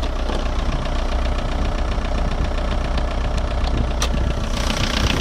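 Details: VW 1.9 TDI (ASV, 110 hp) diesel idling with a deep, uneven knock about twice a second under the clatter; traced to the bottom end, no definite cause or fix found.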